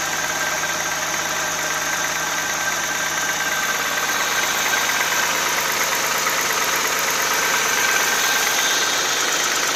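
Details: Cold-idle engine knock on an Audi A6 C4 2.6 ABC: steady, rapid metallic tapping over the engine hum that keeps pace with the revs. Origin unknown, and an oil change made no difference.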